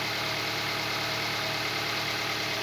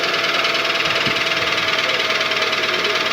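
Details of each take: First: Toyota Vitz 2SZ petrol engine after a rebuild fixing a knock on the hot engine, pistons weight-matched; idles smoothly and evenly with a steady hum, settling very quickly, with no knock. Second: Toyota Vitz 2SZ petrol engine at idle with a hollow, steady knock over hissy running: worn pistons slapping the cylinder liners; knock lessens as it warms but persists hot, Dimexide decoking didn't help; engine rebuild needed.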